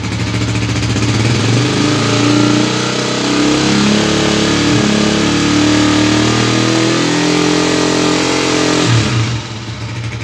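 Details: 1978 Honda CG125 single converted from points and 6 V to 12 V CDI ignition using new Chinese CG parts, run on a full carburetor with no tank: catches, settles into a steady beat, revs cleanly; normal start and run.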